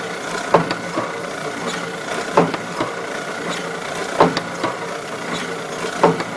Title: Kluge, 14x22, die cutter, foiling, Kluge Press making Noise when Cutting